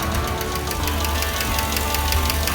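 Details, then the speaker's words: 2007 Chevy Express van 6.0L LQ4 V8 that had lost oil pressure, revved: quick, even ticking about six or seven a second over a low, rough rumble; suspected lifter tick plus bottom-end knock, not confirmed, before engine replacement. "Seems to be a lifter noise coming from the top of the engine, but there's also something in the bottom end that just doesn't sound right."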